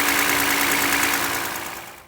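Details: Toyota Highlander 2GR-FE engine, cold: ticking with a quick regular knock over a steady hum; owner reports no oil consumption, new timing chain fitted elsewhere didn't help; suspected piston knock, engine likely to be removed and torn down.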